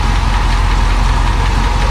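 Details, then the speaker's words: Barn-find 1966 Ford Thunderbird V8, sat 32+ years, restarted after cleaning the plug of long-dead cylinder 8: deep steady idle, still a little rough, with a faint quick lifter tick on top; cause not confirmed, oil not checked after driving. "Yep. Sounds better. I mean, it's still a little rough. And I hear a lifter tick just a touch."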